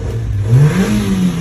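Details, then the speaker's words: Engine revving smoothly and evenly, no knocks or misses, after the camshaft position sensor was cleaned and reinstalled on a car that previously would not start; now starts and runs healthy. "Did you see it? Smooth start. Try again. Started successfully. Test the engine."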